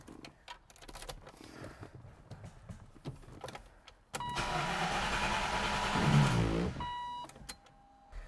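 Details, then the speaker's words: 1993 Land Rover Defender 90, 2.5 L turbo diesel, driven within recent months, battery good: after clicks and rattles starter spins engine evenly about two and a half seconds but never catches; no fuel suspected, owner and shop blame failed fuel pump. "Same problem. We know it turns over, so it's getting power. Battery's not dead. That's good. It's either not getting fuel or it's not getting spark."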